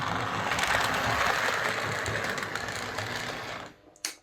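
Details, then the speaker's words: Model locomotive on a Hornby HM2000 controller, slow pull-away: harsh motor whir and buzz with gritty grinding caused by the controller's PWM, then stops with clicks; Morley Vector controller later quieter. "and let's try and do a slow pull away hear that buzz and that's that grinding noise"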